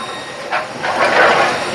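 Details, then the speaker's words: Brunswick A2 bowling pinsetter after motor contactor swap and deck-jam circuit diagnosis: fires up with a light mechanical whir and clatter, no grinding or binding; normal running after repair. "plugged in turned on rear switch is on and the Machine fired up there you go"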